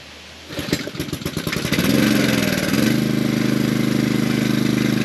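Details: Pressure washer after pump replacement (4-bolt, 3/4-inch shaft pump), started with water on and air purged: several pulls of chugging, then the engine catches and settles into an even, steady beat of about four per second.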